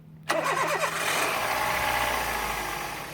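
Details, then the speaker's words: Toyota 1NZ-FE engine started immediately while still wet after washing with GRASS chemical and a pressure washer: short crank, catches at once into smooth steady idle, no misses or knocks; alternator charging normally. "Движок завелся без проблем."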